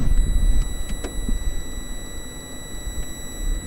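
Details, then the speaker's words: Home-made dimmer for 5050 warm white LED strips set at 50 percent, microphone right up by the circuit: thin steady high whine, a few kilohertz, with fainter higher tones over hiss; mostly from the switching power supply. "that does make a little bit of the noise but most of it comes from the power supply witches in with a mess of cables down underneath this thing"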